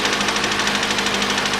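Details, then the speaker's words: Mitsubishi ASX 2013, 1.8 petrol, CVT, front-drive, 390,000 km on a replacement engine fitted at 220,000 km, cold start: rapid, even metallic knocking over a harsh, shaking idle with an uneven beat; a piston knock and misfire are suspected. "вот так у него еще на холодную стук какой-то для этого столько не об этом штуке не знал [музыка] может до сих пор стучит поршень"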